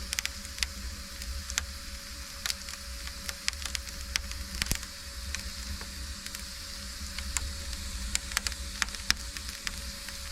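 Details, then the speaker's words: Soot cleaner burning in a domestic central-heating stove: scattered sharp crackles and pops over a low fire rumble, like salt thrown on embers, then soot flakes loosen; normal burning. "Aynen patlak mısır gibi değil de şu tuzu ateşe atarsanız ya aynı o şekilde"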